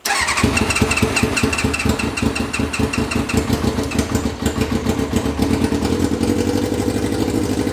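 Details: Reliant Rialto with Kawasaki ZX6R motorbike engine swap, just refuelled after apparently running dry: engine catches right away and settles into a quick, even idle with steady firing pulses; normal start and idle.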